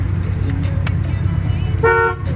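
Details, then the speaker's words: 1989 Chevrolet C1500 pickup, 350 V8, automatic: a steady, clean and strong two-tone honk lasting about a quarter second over the idling engine. The horn works normally. "horn works, wipers work, window on that side works"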